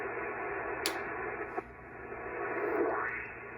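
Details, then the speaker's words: Pyramid PSV500 switching power supply set to 13.8 V, switched on near a ham receiver on Windom and cobweb antennas but not connected to the radio. A steady raspy hiss with faint whistles fills the audio; RF interference from the switching supply. "okay that's a power supply coming on I have it set at 13 .8 Vols that noise that you hear is the switching power supply"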